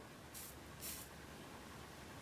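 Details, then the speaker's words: 2004 Volvo car amplifier that was submerged in water while running and caught fire, powered up: two short hissing sizzles over a quiet background, with burning smell and bubbling at a pin, from an internal board short arcing. "I can hear a sizzling. Oh yeah, I can smell that. Yeah, I don't know if you can see that right there. Can you see that right on the side of on the side of this pin right here, you can actually see bubbling from where it's obviously shorted internally, and it's arcing inside the board."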